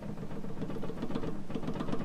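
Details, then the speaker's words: BMW E39 front suspension clunking, front sway bar link rocked by hand: quick, hollow knocking from a totally worn link; thrust arm bushings also have play. "that's like totally shot, as you could hear. Hopefully that'll fix a problem."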